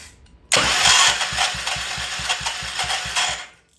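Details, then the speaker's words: Old Troy-Bilt Pony rototiller, started with carb cleaner, throttle at slow: fires and coughs with ragged, irregular popping for about three seconds then dies; sounds terrible, stiff choke linkage suspected as part of the problem. "still sounds terrible and do we have a choke on this guy"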